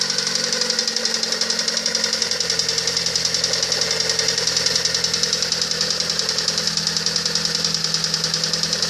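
Steady rapid metallic knocking, about three or four per second, over a bright engine hiss; a knock whose source isn't clear from sound alone.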